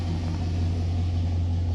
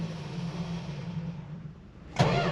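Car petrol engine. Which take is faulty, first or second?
second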